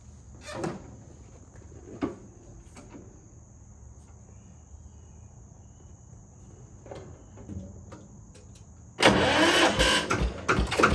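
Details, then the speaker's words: Single-cylinder Lister diesel on a Benford TS25 radial swing concrete buggy, recently repaired, fresh oil, low hours, new tires. Quiet clanks and handling, then it catches and settles into a loud, even single-cylinder knock; healthy start. "I don't know if you've watched any of the videos, but it has a very unique sound. Let me show you the engine here. It's a single cylinder Lister diesel."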